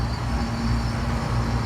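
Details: Walk-in's three-phase scroll compressor at startup, after rotation was corrected by swapping two legs: a smooth, even low hum with no knocking or rattle. Runs steadily and sounds healthy.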